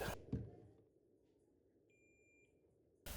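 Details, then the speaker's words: Diode plate removed from a computer-controlled alternator on a Toyota Belta 1 L three-cylinder with rough idle and intermittent stalling; a single clear multimeter diode-test beep during the check, readings about 520, 517 and 450. "hopeope you heard the beep so i put my negative lead on the posi side of the diode plate and then i put my positive lead on the first diode set here you can see the value"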